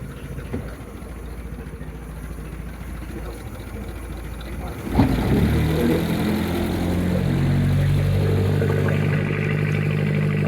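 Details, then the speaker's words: 1953 Lyman Islander wooden boat inboard engine (Gray Marine tagged) during spring prep before oil change, pushing water out the back: engine picks up to a steady even low thrum, regular beat, no knocks or misses; normal idle. "So I just keep running it till, you know, I can still hear it pushing water out the back, so I'll wait till that bucket's almost full."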